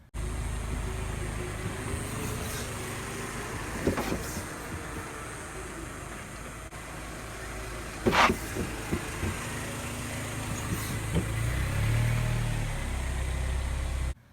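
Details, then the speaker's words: Saturn ION (GM Delta platform) front end: loud clunk from the front over speed bumps or any bump, or rocking in the driveway; road rumble with sharp knocks, suspected worn sway bar links or stabilizer bushings, not confirmed. "or maybe going over a speed bump there's a loud clunk in the front or maybe just any bump in the road and you hear just a clunking sound whenever you go over it"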